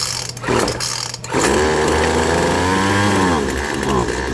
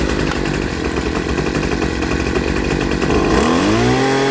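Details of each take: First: Poulan Pro 25cc trimmer with a newly installed carburetor and fuel line kit, started on full choke. The two-stroke buzz sags and wavers instead of climbing cleanly: bogging from a mixture out of adjustment, set with the two carburetor adjustment screws. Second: Poulan Pro 25cc two-stroke trimmer after a new carburetor and fuel line kit, with high and low jets adjusted; it idles, revs cleanly to a steady high scream for three seconds, then drops back to a smooth idle, well tuned.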